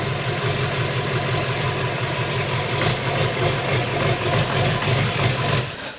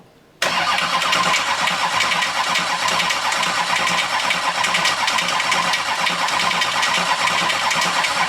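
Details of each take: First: 6.6L Duramax diesel swapped into a Jeep Wrangler, first start after the swap, still no oil pressure reading: diesel settles into a steady, even clatter at idle with no irregular knock, then shuts off cleanly; healthy. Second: 6.6L Duramax diesel swapped into a Jeep Wrangler, hot-wired with the van harness for its first start in the chassis: nine seconds of even starter cranking that never catches, because the fuel pump fuse is blown and the pump is not running.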